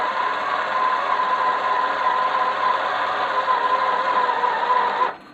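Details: Homemade 12-foot glass-fibre Gato submarine, front hydroplanes folding down: steady high electric motor whine holding one pitch about five seconds, then stopping cleanly; actuator working normally.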